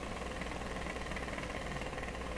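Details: DeForest 10DA517 AM tube radio fitted with glass tubes in place of the specified metal ones: a fast, low putting pulse runs steadily under the hiss. Still motorboating after a cold resistor joint was fixed; cause suspected, not confirmed.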